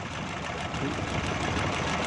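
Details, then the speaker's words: 2012 Suzuki Bolan misfiring on both CNG and petrol: idle with an uneven stumbling beat and irregular dropouts; a plug lead, its rubber worn through, is cut and sparking to the body. "दोस्तों ये स्पार्क कर रही है, ये कटी हुई है तार बॉडी के साथ लग के।"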